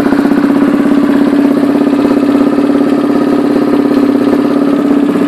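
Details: 2007 KTM 690 SM single idling with a steady buzzing, ringing tone over the firing, from 0:37, loudest on the sidestand, nearly gone upright and gone leaning right; cause unknown.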